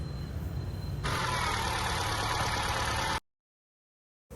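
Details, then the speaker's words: Ford Aspire hydrolocked after flood water entered through the air filter, after cleaning the throttle body, checking the wiring and refitting the spark plugs: the engine catches right away and holds a smooth, even idle with no knocking; normal start. "இன்ஜினை start பண்ணுறேன்."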